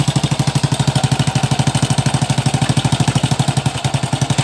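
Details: Honda Supra X 100cc with a new block that still smokes: a harsh, loud idle with a fast hammering beat about three per second throughout. The noise seems to come from the cam chain or timing chain; unconfirmed.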